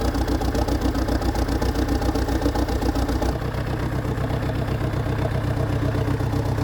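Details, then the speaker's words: Dresser (International Harvester) TD8E bulldozer diesel just after fuel filter replacement. It ran with a "helicopter" sound before. Now a steady, even idle with regular firing pulses and no misses or stumbles. New fuel filters appear to have fixed it. "Okay, I think the fuel filters fixed it. it would have been doing this the the helicopter sound already."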